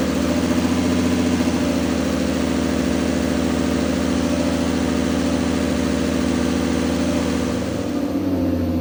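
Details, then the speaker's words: Turbo BMW E46 with an M52B28 swap, Link ECU and 1650 injectors, idle fueling freshly tuned: even, steady idle with a smooth low pulse, no misses, knocks or surging. Idles super smooth despite the big injectors; normal. "it's actually really nice these are quite big injectors you got a lot of head room and it still idles super smooth"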